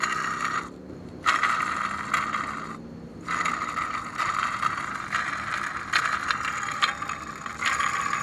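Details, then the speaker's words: 2006 Ford E-350 5.4L V8 serpentine belt tensioner pulley, removed and spun by hand: a dry, gritty scraping rasp that comes and goes with each spin; worn-out pulley bearing, so the tensioner assembly is replaced. "so this is what a pulley was a worn-out bearing sounds like"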